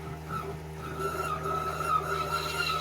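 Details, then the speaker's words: 1969 beach shack water system during winter shutdown, air purge at 20 PSI: the toilet flush valve gives a steady, even squeal near 1 kHz with a faint hum. This shows only air is passing and the line is clear. "You want to hear that squeal sound nice and even, and that's how you know that nothing but air is coming out."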